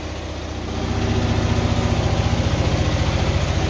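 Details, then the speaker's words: 2004 Hyosung GT250 Comet after carb cleaning, new fuel filter and battery: choke fully off, idle steady with an even beat, going up and down slightly as fuel still moves through the system. Normal idle. "it goes up and down a little bit but we'll get it there but it's running and not unchoke at all so that's a it's always good news"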